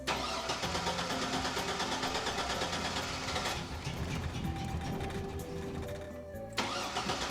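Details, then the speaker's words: Old Chevy Silverado 1500 that sat for years, just after fuel pump replacement: cranks, catches and runs with uneven lumpy beat, seemingly on two cylinders; possibly something left unplugged, cause unconfirmed. "Give her a second. Why is it running on two cylinders?"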